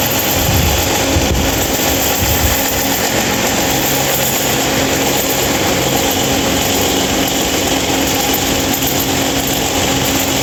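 A steady loud whirring roar with a constant tone sits over the airflow throughout, with no change in pace; the fan runs abnormally noisy.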